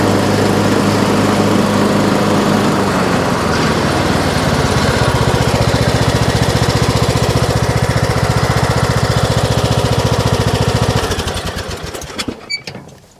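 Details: Troy-Bilt Pony riding mower, revived from scrap after electrical and steering repairs, mowing passes testing the deck: steady, even single-cylinder drone with blades engaged, no misses, then clean wind-down to shutoff; runs excellent.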